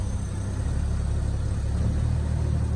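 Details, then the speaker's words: Infiniti QX56 at auction, ABS and brake lights on, burning smell: low heavy laboured rumble in reverse and drive, flat with little pull, engine nearly cutting off; cause not found. "See? Put it in drive. Go up. It definitely doesn't have that pull that Vortec B4.3 got. See? Damn near want to cut off."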